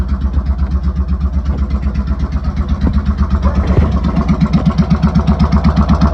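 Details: Motorcycle starting with choke fully out and fuel on after replacing a faulty solenoid switch that caused cut-outs; engine catches and settles into an even low thump about four beats a second, no misses, running fine.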